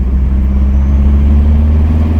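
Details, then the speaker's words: Dodge Omni GLHS clone, test drive in third gear under load to check for slip: steady deep engine drone pulling evenly, no rev flare; clutch holding, no slip, car also needs alignment. "no slip no slip pedometer but we had no slip little little funny alignment"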